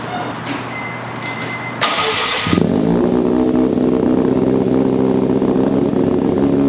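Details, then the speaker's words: Mazda RX-7 rotary, first start after rewiring an automatic harness for a manual swap: catches after cranking and holds a fast, buzzy idle far too high because the brake booster vacuum port is left open, no check valve; vacuum leak. "what you hear in the video is not how the cars are actually gonna sound that idle is way too high we still have if you look here we still have an open vacuum port which goes to the brake booster here"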